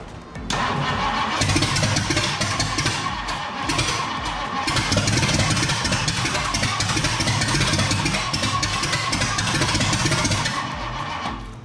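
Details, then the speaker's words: 1962 Mercury, gas added to carburetor: about ten seconds of steady cranking with only ragged brief catches; fuel pump not pulling fuel because pickup hose sat at top of tank, fuel starvation. "The fuel pump's still not pulling fuel though. That was weird."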